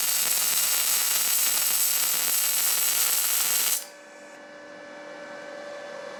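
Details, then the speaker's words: Firstess (Yeswelder) DP200 MIG welder: a soft, smooth hiss rather than a crisp crackle for nearly four seconds, prettier bead but arc not digging in, shallow penetration. "That definitely makes a prettier weld, but you can tell just from the sound that it's not digging in as deep."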